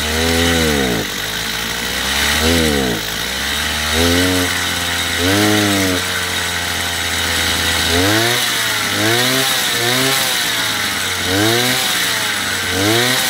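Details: Chinese two-stroke petrol brush cutter after carburetor adjustment, top speed set around 9,000 rpm: crisp revving up and dropping back repeatedly, picking up cleanly each time without bogging, running properly.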